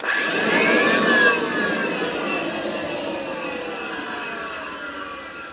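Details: Kirby 516 vacuum with bad motor bearings: rough whir with a raspy edge, then whine sliding down in pitch as it coasts off; burnt smell afterwards, needs new bearings; worn motor bearings noise.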